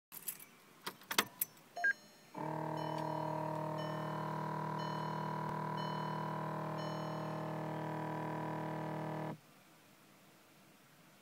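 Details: 2006 VW GTI when the battery is switched on: a few clicks, then a steady buzzing motor hum behind the glove box for about seven seconds, then stops.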